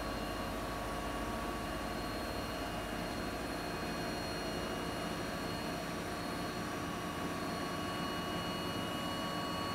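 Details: Siemens iQ300 8 kg washing machine spinning at about 1000 rpm, loaded with wet laundry: steady even hum with a high whine, no knocking or banging; normal spin cycle, no fault.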